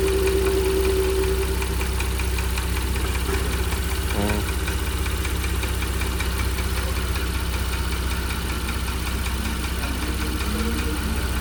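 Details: 2017 Porsche Cayenne 3.6 biturbo, 177,000 km mostly city driving, brought in for a foreign engine knock, warmed up during service with ZM 5W-40 oil and ArmActiv additive: steady idle with a faint regular knock about three beats a second; cause undetermined.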